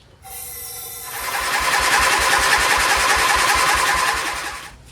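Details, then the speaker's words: Dayton 11HP lawn tractor with oil inside the carburetor, probably in the combustion chamber too, and a soaked spark plug: even cranking at about three and a half beats a second that never catches. Hard starting from an oil-flooded carburetor and cylinder. "It's got oil all inside the carburetor, so I'm gonna have to help it out."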